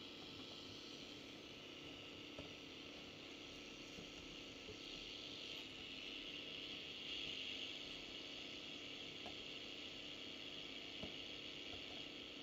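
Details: Unitra Eltra Ania MOT-711 long/medium-wave radio with aged, dried-out capacitors: steady, even hiss across the band with no station or voice coming through; nothing received.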